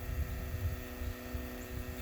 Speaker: barely hear it buzzing and when you crank up the engine you don't hear it at all barely makes any noise with the engine running